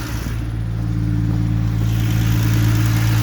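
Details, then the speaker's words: 1972 Triumph TR6 six-cylinder after engine rebuild, carbs balanced and running slightly lean at max rich, fuel pump sorted; smooth even note rising steadily with revs, no knocks or misses, sounds great. "She sounds great."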